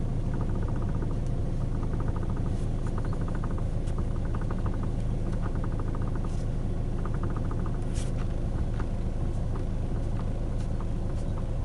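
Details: 2012 Hyundai i40: quick bursts of light steering ticking, under two a second, coming and going over steady road rumble; coupler already replaced but noise remains, cause unknown.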